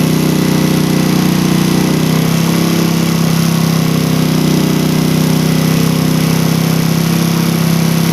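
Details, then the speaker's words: Engine with a PE28 carburettor, air screw set by the second method to 2.5 turns, matching the idle method: a steady, constant-pitch note with no misses or surging, so both carbs are set ideally from idle upward. "Nah ini udah mantep guys. Kita coba hitung dapat berapa putaran ya."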